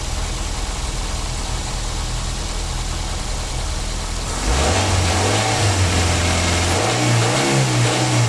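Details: 2009 Daihatsu Gran Max: settled idle, then clean throttle blips rising and falling smoothly with no whine or rattle; sounds healthy.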